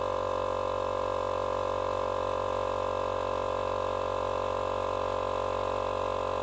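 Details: Small portable tyre compressor, which had stopped and run very hot from a seized bearing, now running after bearing replacement on its first cycles: even, constant-pitch motor hum with a steady pump pulse, no knock or grind; normal running.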